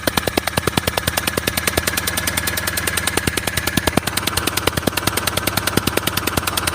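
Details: CRDI diesel at idle: sharp even puffing ticks about three per second; compression leaking past a bad injector seal, with some engine oil leakage at the injector; fix is replacing the injector seal.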